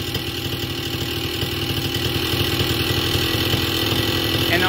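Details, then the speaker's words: Vittorazi Moster 185 paramotor, warm engine, low-speed needle on the lean side, close to ideal: steady buzz, rpm drops after a throttle blip and then slowly creeps back up. "but when it's too lean on the low needle you blip the throttle and the rpms come down and then if you wait a second the motor starts to lean out and the rpms increase just a little bit maybe"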